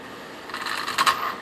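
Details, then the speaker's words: Traxxas Stampede RC truck with stock sensorless brushless motor: gentle throttle gives rough stuttering chatter instead of smooth spin-up; cogging because the ESC can't sense rotor position. "You hear that? That is called cogging. You see, when you first give it the gas, it doesn't want to go. This is a sensorless, brushless motor. So as a result, it severely cogs."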